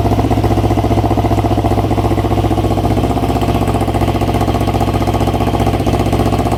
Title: EX500 cylinder misfire